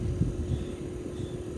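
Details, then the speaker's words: Newly retrofitted Bosch IDS 2.1 central air outdoor unit, just charged with 2 lbs refrigerant, running at 39 Hz: only soft steady low hum with faint wind over casing; quiet, smooth normal running. "see he hear how quiet it is it's crazy right now it's running at 39 Hertz so it could go higher but this is about what it's going to run at most of the time or"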